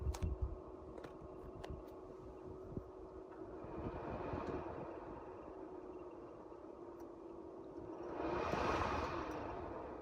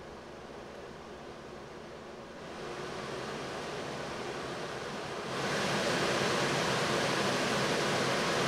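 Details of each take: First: 1990 Mercedes W124, Tempmatik HVAC, original blower motor before replacement: quiet, steady fan whir that sounds like it's struggling, with a thin, persistent squeak on top; the cabin blower motor squeak. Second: 1990 Mercedes W124, Tempmatic HVAC, newly replaced blower motor after old bushings wore out, tested after install: smooth even rush of air stepping up twice to higher fan speeds, no squeak or labouring. Normal blower operation after repair.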